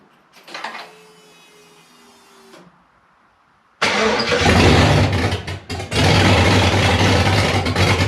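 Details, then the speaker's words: Rebuilt 5.3 V8 in a 260Z, first start, no coolant in it yet, second try: brief starter whir and a pause, then runs loud and uneven, surging a little; rough running, may not be on all cylinders, no oil pressure seen. "okay well it made noise I don't know if it's running on all cylinders"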